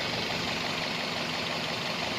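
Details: 2003-2006 first-generation Toyota Vios after fixing a vacuum problem that caused engine shaking: engine idles with an even, steady hiss and hum, no misses or surging; normal smooth idle.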